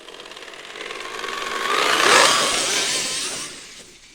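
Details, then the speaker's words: Traxxas X-Maxx with aftermarket eBay belt and pulley drive, third test, driven slowly: a high motor whine with a regular ticking catch about four times a second that grows crunchier. Something in the drive is catching and it soon fails. "look at that that doesn't sound good at all it's like catching there's like a catching point so i don't know what's going on there"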